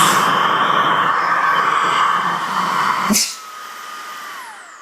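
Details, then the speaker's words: New Milwaukee M18 precision blower at highest speed with outlet covered by hand to mimic a clogged drain: loud steady whine, air hissing past the nozzle, then cut and motor winding down; back pressure lost through nozzle openings. "you can hear it's not pushing my hand off. You can hear it. You can hear back pressure."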